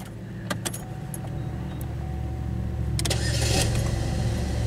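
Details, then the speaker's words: 2011 Chevy Malibu with intermittent no-crank, test light disconnected, crank request good and starter relay on: steady cranking at about three and a half pulses a second, then catches into running idle; normal crank and start. "crank request is good starter relay turned on now is it going to start every time"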